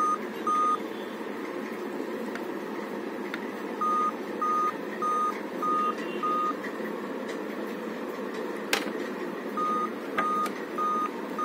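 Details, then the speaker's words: Dell Inspiron laptop on charger at power-on: groups of five short, high beeps repeat over soft fan hiss, likely the startup code for a dead CMOS battery. "ठीक है, ये 5 beeping आ रहा है। तो ये किस reason से आता है पता है ना, यही देखना है हम लोग को। तो मेरे हिसाब से ये सीमॉस बैटरी के लिए होना चाहिए, ठीक"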